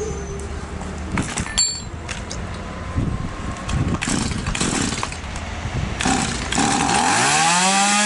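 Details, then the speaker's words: Stihl MS 180/170-type chainsaw with a non-adjustable carburettor, after the internal needle was adjusted to add fuel for a lack of power. It buzzes, then the pitch sweeps up and holds high and steady; power is now good but idle speed is too high. "мощность хорошая но как мы видим слишком много холостого хода"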